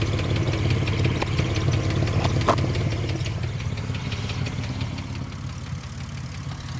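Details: 2005 Ford Mustang idling: steady low rumble with faint, fairly regular light tick about three per second, plus exhaust noise; ticking at idle, cause not pinned down.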